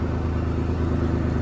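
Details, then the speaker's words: 1999 Ford Explorer just after a fuel pump replacement: it fired up quicker than expected and holds a steady low idle with a smooth, unbroken rumble and no misses or knocks; normal idle. "fired up a lot quicker than I thought it was going to hopefully it doesn't just run out of whatever fuel was in the line"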